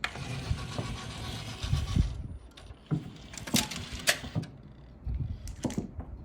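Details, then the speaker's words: Technics SL-MC7 CD changer after replacing a worn-out belt (before, the carriage wouldn't move and only the pulley spun). Brief whirring runs ending in soft clicks as the disc stops and ejects, with no slipping or grinding; normal carriage operation. "before I changed that belt. Um, that whole carriage CD changer carriage wouldn't even move. Um, the belt was just too worn out. So, with the new belt on, it works perfectly."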